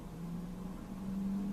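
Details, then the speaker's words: Cosori air fryer preheating at 400° preset for 5 minutes: steady low hum with even mid-low tone holding level; fan running smoothly, nothing abnormal. "And you can hear it. And you can hear it running. So it's preheating."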